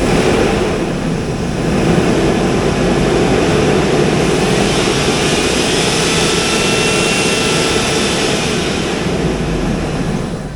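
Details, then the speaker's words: 2003 Hummer H2, LQ4 6.0L V8, 4L60E, repo donor truck before part-out: steady even V8 rumble, no knocks, ticks or misses, holding oil pressure; normal idle. "Pretty clean under the hood. Sounds good."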